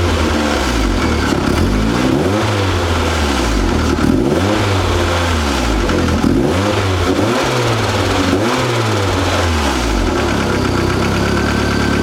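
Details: Mazda Miata with brand-new built motor (Wiseco FM pistons, Belfab rods) revved up and down repeatedly with a harsh, clattery diesel-like knock on each rise; sounds internal, source unknown.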